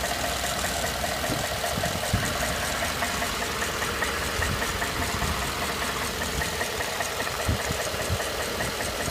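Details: 2012 Ford F-150 petrol engine at idle with a loose, uneven knocking from the passenger side of the engine block.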